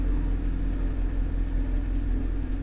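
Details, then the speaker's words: Honda CRX (ED8), cold engine after throttle body swap, no codes: smooth, deep idle, steady rumble with no hunting or misfire; sounds much better than with the old throttle body. "But overall, it's idling really smooth right now. It sounds way better with this one."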